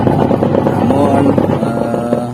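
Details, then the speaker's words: Polytron twin-tub washing machine whose wash pulsator won't spin; the fault is traced to the wash motor (dinamo) linked to the wash timer. A rough, uneven motor drone with a wavering grinding note, noisy and rough; the spin tub works fine. "work. noisy and rough."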